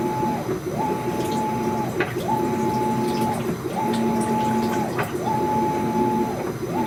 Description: Brand new washer makes clicking noise during agitation